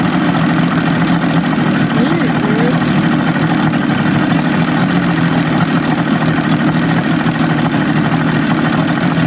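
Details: Evinrude 150hp outboard idling after VRO delete and double fuel pump install, with a substitute O-ring: steady, even low burble with a constant hum and no misses or knocks; idling smoothly and healthy.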